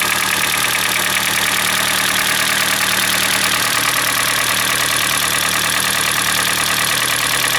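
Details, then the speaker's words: Hyundai Elantra, G4NB engine, around 2012–2013, roughly 240,000 km (mileage uncertain), started cold at fast idle. Steady hollow piston knock over a bright top-end clatter. Piston slap from scuffed cylinders. "А сейчас послушаем, как он будет стучать и создавать звуки на холодном двигателе. Вы знаете, у меня впечатление, что на горячую гораздо сильнее."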